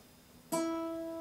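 A single plucked nylon string rings out clear and steady, with no buzz or rattle.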